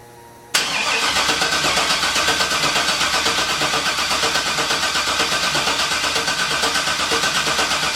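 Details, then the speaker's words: LS-swapped 1957 Chevy, first start attempt with fuel pump working: starter spins the engine with an even, rapid churn for several seconds but it never fires; crank no start, found to have no spark, cause unknown. "we have a no start condition so what's the troubles we got no spark and I ain't sure why"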